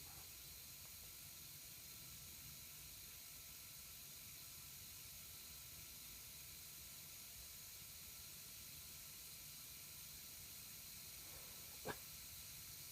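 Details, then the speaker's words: Air compressor converted to silent running, pressure switch spring tightened, unloading at 60: constant soft hiss of air leaking past the unloader valve over the quiet-running compressor; tightening or crimping it could reduce the leak. "okay basically wit with this with this on moda valve here you can hear the air leak out"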